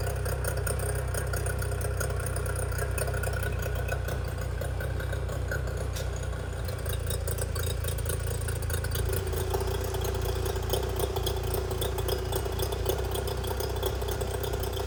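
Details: 25hp Mercury outboard after carb rebuild (junk in carburetor), new fuel pump parts and spark plugs, running on the shop tank: a steady low burble with an even rhythm and no misfires. It is a smooth, healthy idle.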